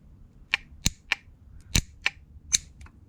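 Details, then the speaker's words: QUCC 200A relay BMS, old faulty relay: sharp uneven metallic clicks, about seven in three seconds, from the coil actuating while contacts stayed closed; owner suspects rod disconnected from actuator and spring holding contacts closed, unconfirmed. "and this one was pushed down onto the contacts with a spring mechanism and that's why the contacts were always closed and we could hear the the contact actually switching so we could hear this from the outside"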